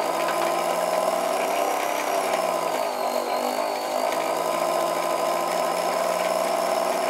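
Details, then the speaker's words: 1950s Meccano Cricket Ball E020 20V electric motor on 1949 T20 transformer at lowest setting: steady hum with thin high wavering whistle; belt suspected slipping, possibly motor slipping instead. "And you can probably hear a little bit of a whistling. I think that's because this belt here is slipping on this side."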